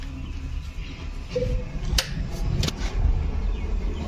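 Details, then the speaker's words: Maruti Suzuki that sat at home a long time with wiring chewed by rats: turning the key gives a couple of sharp single clicks and no cranking at all; faulty starter motor that engages but cannot turn the engine. "लगाने पर आवाज़ cut cut कर रहा है आपको की अगर relax कर रहा है स्टार्ट मोटर तो हम कैसे डालें स्टार्ट कर सकते हैं"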